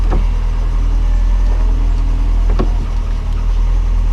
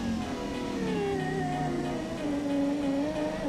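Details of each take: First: 1989 Lotus Esprit passenger power window, engine idling: even motor hum as the glass travels up in about 3 seconds, no grinding, binding or clicks; window runs normally, matching the driver side. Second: 1989 Lotus Esprit passenger power window, very slow, before repair: motor hums in a strained, wavering tone with sagging pitch as the glass struggles down and up; binding track, to be treated with dry lubricant on tracks and motor gears.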